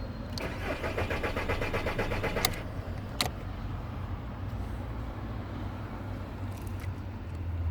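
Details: VW Bora Mk4 diesel, crank-no-start: the starter cranks in a quick even chug for about two seconds but the engine never fires. Failed relay 109 (fuel shutoff valve relay) is not opening the fuel supply.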